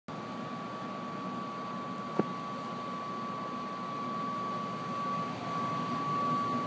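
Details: Brand-new Trane XR95 furnace: a steady high whine or whistle over the inducer fan rush, only when the draft inducer motor runs. The motor was already replaced; the owner suspects the PVC vent length and diameter act like a flute. The contractor calls it normal.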